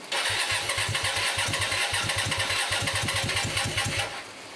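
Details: Hyosung 125cc V-twin motorcycle, first start after standing two years, carbs cleaned, on choke: engine catches into uneven, lumpy stutter of about three pulses a second with irregular gaps; sounds like running on one cylinder.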